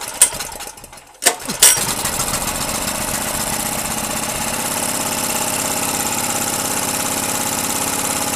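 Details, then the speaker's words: 2.5 kW Ress petrol generator after long storage, once the nut-tightened adjusting screw was freed to move: after a couple of pulls it catches and runs steadily with a bright buzzing exhaust; it now starts. "Ну вот, генератор запускается. То есть проблема заключалась в том, что он чихал, а вот этот регулировочный винт вот здесь."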